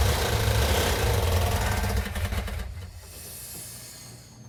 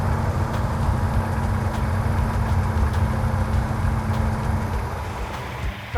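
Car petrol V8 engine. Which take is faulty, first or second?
first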